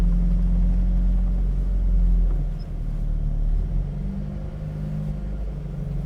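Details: 1974 Audi Coupé S on unleaded fuel, freshly rebuilt engine and gearbox, warming up while pulling away gently under light throttle: smooth, even low drone with no knocks or misses; rebuilt engine sounds healthy.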